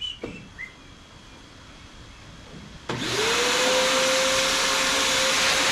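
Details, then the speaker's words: Shop vacuum used during a Troy-Bilt Pony riding mower service, after it sucked up something it didn't like: motor spins up, then a steady high whistle holds over the suction roar. Clogged intake whistle. "It sucked up something it didn't like."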